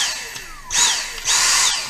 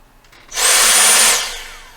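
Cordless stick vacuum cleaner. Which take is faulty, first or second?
first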